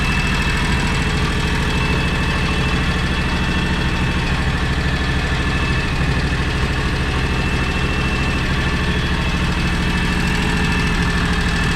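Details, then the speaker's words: John Deere X729 mower tractor idling after complete service; earlier it missed at idle with a suspected clogged carburetor, now steady even low rumble with no knocks or stumbles, running great. "she runs great so hey you guys see you on the next one"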